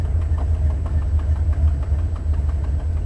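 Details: Buick 455 Stage-1 Regal T V8 idling about 900 rpm, heard from outside via windows: sharp quick ticking in time with lumpy idle from broken 11-year-old header gasket at #7 flange; new gasket planned.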